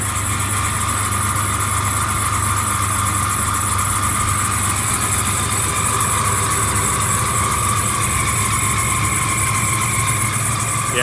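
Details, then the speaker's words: 1994 Chevy S10 at idle after a new idler pulley was installed: a steady, high-pitched squeal from the accessory belt drive persists. The old AC compressor is suspected but not confirmed. "it's definitely that AC condenser. It's not happy."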